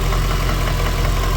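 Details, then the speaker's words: Ford BA Fairmont V8 after timing chain work: steady low idle with a faint regular tapping knock, not from the front timing but from the rear or centre of the engine; owner suspects a worn piston pin. "I don't know if you can hear it, but I can hear a knock. It's not coming from the timing. It's coming from back here."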